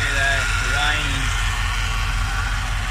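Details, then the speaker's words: Abandoned 2006 GXP whose transmission needs replacing: the engine idles with an uneven low pulsing rumble and some whine early on; the transmission is not happy, with back clutches or something inside suspected. "So you guys can see this transmission is not happy."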